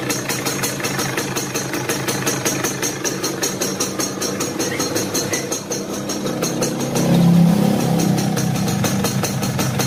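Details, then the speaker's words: Yamaha F1ZR two-stroke at idle: a rough, rattly clatter rides over the engine in uneven beats and lessens slightly when the clutch lever is pulled. Points to play in a worn clutch basket. Clutch housing rattle. "itu dari bunyi motornya itu sudah kasar ya teman-teman."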